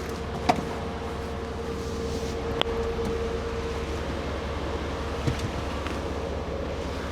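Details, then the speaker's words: Mercedes 500E V8 idling smoothly with a test LH module from an E420 fitted; no relay clicking heard, so an LH module is needed; relay not clicking. "No clicking relay. So we need an LH module, guys."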